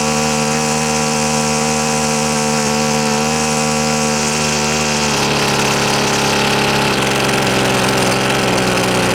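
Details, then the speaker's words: Husqvarna two-stroke trimmer: buzzy engine whose pitch wanders and shifts abruptly as the carb screws are turned, never settling clean. Fuel-air mix is off and too much air kills it. Owner suspects worn carburetor diaphragms needing cleaning or replacement. "so the fuel air mix is off which tells me these are going to be off and it could be just the case too that the U diaphragms in this carb need service they need either changed or uh need to be taken out cleaned or something"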